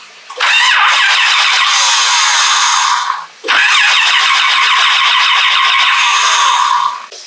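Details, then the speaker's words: 1976 Chevrolet C10 with LS7 engine after rewiring: the starter whirs through two long cranks of about three seconds each with no firing; no spark and no fuel due to a wiring fault. "we're trying to start this thing and we weren't getting any fire we weren't getting any fuel"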